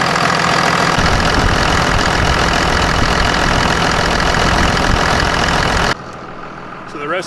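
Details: Second-gen 24-valve Cummins diesel truck, first start after a water pump replacement and before bleeding the cooling system: fires and settles into a steady, even idle with a firm regular clatter, no knocks or squeals; sounds healthy.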